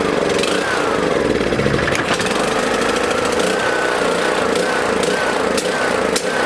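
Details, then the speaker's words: Small lawn mower engine in a fuel additive test; loud buzzy running with sharp pops every second or so, spitting and sputtering, harder to start; owner suspects small amounts of moisture in the fuel. "this one a little harder to start a little more you know popping and spitting and sputtering probably small amounts of moisture getting in there"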